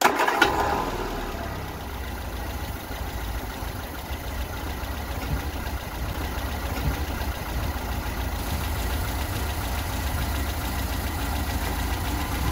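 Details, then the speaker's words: 1975 Vauxhall Viva barn find, Weber carburettor and Edelbrock intake, after wiring 12 V from oil pressure switch feed to carb idle cut-off solenoid: engine catches and drops straight into low, even idle, purring; high idle fixed, normal idle. "all right there was just purring like a kitten turn sounding"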